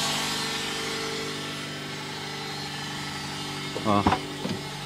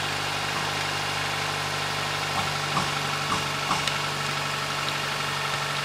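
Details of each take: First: 2008 Nissan Versa CVT with codes P0746 (solenoid A) and P0868 (low fluid pressure). A steady droning whine with a brief clunk near the end. Blamed on dirty fluid and low line pressure; fix is pan and filter cleaning plus NS-2 fluid. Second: 2008 Nissan Versa CVT with codes P0746/P0868, after NS-2 CVT fluid refilled. A steady, even idle hum with no whine or clicking: it sounds normal now.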